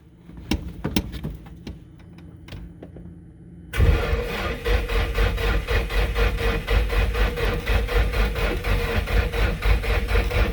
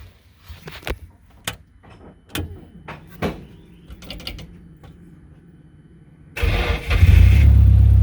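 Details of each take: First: 1995 Nissan S14 240SX SR20DET, first crank after engine rebuild, gauge showing 10.5 V: laboured even cranking about four beats a second after fans, never catches; slow weak cranking from low battery. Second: Nissan S14 240SX with SR20DET, first start after full engine rebuild and retiming (dots realigned): a few clunks, then fires straight away into a loud steady run; power steering rack leaking.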